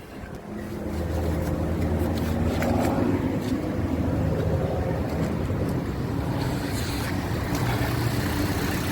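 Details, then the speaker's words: 2007 Toyota Yaris at idle with AC on, customer reports jerking, hunting and misfire: slightly uneven stumbling beat, mild misfire traced to a failing ignition coil. "को कि थोड़ा सा miss पर है ठीक है"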